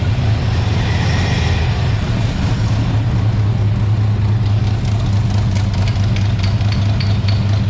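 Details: International rat rod truck V8 with a deep, slightly uneven, lumpy idle and no knock; gas had pooled near the carb and the header got warm. Rough idle from a dirty carburetor that needs cleaning, before a carburetor rebuild.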